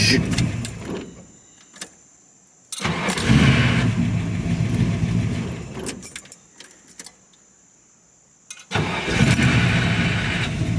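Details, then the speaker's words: Older Ford Mustang starting: engine catches with rough surge while the starter runs on and doesn't disengage immediately; owner suspects the starter needs adjustment, not confirmed. "So watch when I start it, you'll hear the starter doesn't disengage immediately. So it probably needs to be adjusted."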